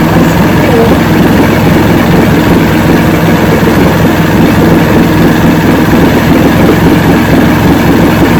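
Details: 1970 85hp Evinrude two-stroke outboard with hydroelectric shift, 50 years old, new water pump impeller, idling in neutral in a water container: steady low burble, no misses or surging; carburetors judged good at idle, full throttle untested.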